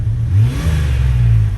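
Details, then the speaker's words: Jeep WJ 4.0 after rebuilding the throttle body with an A012 O-ring to fix a shaft air leak (lean code): steady low idle hum, slight wavering, no stumble or misfire; previously very rough at idle, now stable. "is actually sounding pretty good so anyway well good sign thus far"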